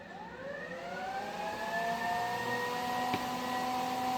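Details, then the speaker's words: 1950 Mercury M47 rat truck, newly wired Derale 13700 transmission cooler fan switched on at the first toggle with key on: loud whirring hum climbing in pitch as it spools up, then steady; fan running normally, "sounds like a Dyson vacuum." "Oh, she's a loud one. Still, we're gonna wonder what that is. Sounds like a Dyson vacuum going on back there. That means it's gonna cool, right?"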